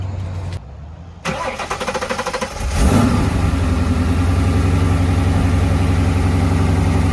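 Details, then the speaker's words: Ford Mustang "Godzilla" 7.3L V8 after loading revised base tune two (first tune hard to start and stay running when warm): quick starter whir, clean fire, steady even idle with no stumble; idle smoother, more tuning still needed. "but already the idle is smoother the throttle response is better but we still have more tuning to do to get the final revised tune"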